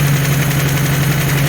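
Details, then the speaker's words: Cheap Ford Escort MK3 GLE carburettor engine idling set high, with leaking carb, non-working idle jet and many vacuum leaks: steady low thrum with faint irregular tapping; owner suspects a rocker or lifter, not confirmed. "Might be a rocker, a lifter, or something. That's not happy. But I'll look into that cuz this engine sounds horrible."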